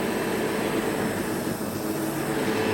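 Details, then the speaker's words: Sebo vacuum cleaner running normally after a bag change, with no blockages found and a well-used brush bar; steady, even motor roar with a strong rush of air and no rattles or wavering pitch, good suction. "Much better. So yeah, the Sebo works absolutely fine."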